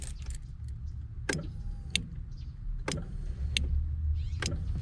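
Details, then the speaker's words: Honda EF (5-pin main relay conversion): key on, a few sharp separate clicks over a low steady hum as the new main relay switches and the fuel pump primes normally; check engine light on, owner suspects miswired speedo. "I'm going to turn it on make sure it doesn't turn off drive it make sure it doesn't do nothing but you could even hear the the really click"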